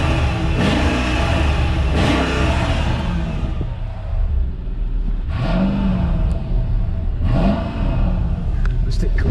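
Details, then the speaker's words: Mercedes E55 AMG Kompressor estate, supercharged V8, 55,000 miles: deep, smooth blips rising and falling cleanly back to steady idle, no knocks or misses; normal engine revving. "let's give you a bit of rev there it sounds pretty good"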